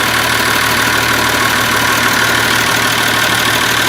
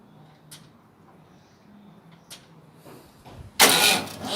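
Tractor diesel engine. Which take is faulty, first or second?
second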